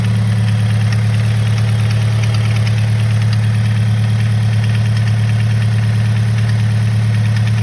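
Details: 2013 Scion FR-S after the valve spring recall, returned from the dealer with the motor removed and reinstalled: steady low idle with a light, even tick about three a second; ticking still not fixed, source unconfirmed.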